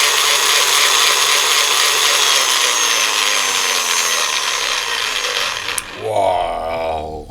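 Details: Small DC motor on a 5 A 90 W PWM speed controller (4.5–35 V), run at about 10 V, maximum potentiometer, about 30 W: steady high-pitched gear whine and buzz at full speed, then winding down; loud gear mesh noise, cause unknown.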